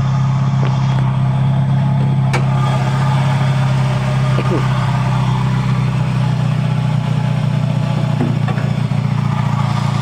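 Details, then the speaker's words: Toyota Vios petrol engine running at idle with a coarse, gritty grinding from the front accessories, described as a bearing noise; a worn AC compressor clutch pulley bearing is the finding. "ini seperti suara bagian bearing diantara luar ya antara luar di bagian bensin yang ini"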